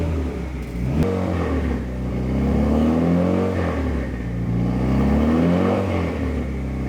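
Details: Fully built Mitsubishi Evo 9 engine during break-in after first start and tune edits, held at steady fast idle, revving 2,000–3,000 rpm, warming to 185–200°F operating temperature; smooth even pitch rises, slight backfiring, shop fan hum; normal healthy running.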